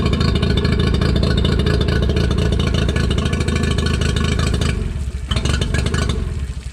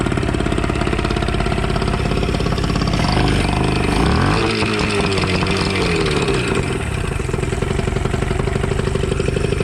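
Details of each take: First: Used outboard with even 90 PSI compression on both cylinders, restarted with good water flow, revved and in forward: fires right up, steady even beat picking up cleanly with throttle, no misses or rattles; normal running. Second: Two-stroke outboard after a throttle butterfly adjustment and a blocked water passage was cleared: the buzz wavers and stumbles, with revs dipping and surging; uneven running, owner suspects timing needs advancing or a fuel pump or primer fault.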